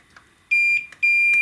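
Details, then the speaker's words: 25-inch Hantarex Polo arcade monitor chassis, multimeter across power-supply MOSFET: steady continuity tone near 2.5 kHz held solid, dead short where about 0.551 expected; MOSFET shorted. "so it's reading short across those two I don't know if that's normal"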